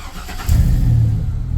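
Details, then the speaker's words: 1999–2003 Chevrolet Silverado that wouldn't start because it was out of gasoline, now refueled: brief crank, catches and rumbles into an even idle; normal start, Service, ABS and security lights still showing. "y ahí arranca el llavazo lo digo que ahí tengo Service en ginson ABS pero ya tengo gasolina y arrancó la camioneta"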